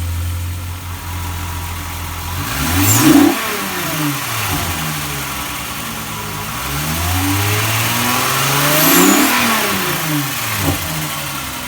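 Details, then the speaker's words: Red Mk2 VW GTI 12v with replacement motor: two clean rev-ups from idle, pitch rising and falling smoothly, no knocks or misses; the motor runs 100% and sounds healthy. "motor runs 100% just as we expected took me to see TV garage fests on Sunday with no problems at all"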